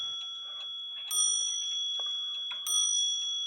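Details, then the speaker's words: Clock gong, after the hammer wire was adjusted so the hammer sits spaced off the gong instead of touching it and sounding dead: two clean, bright strikes that sustain and fade evenly with no buzz. "you hear how nice that sounds now there are going to be times when no matter how much you adjust the hammer it sounds like crap"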